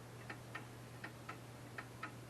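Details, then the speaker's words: Old spring-wound mechanical clock ticking steadily, about two and a half crisp ticks a second over faint hum, running again after a bent arm and wonky gear were straightened; normal operation. "you can hear it ticking, but it's been working for 3 or 4 days now and I've just been having to mess with the middle."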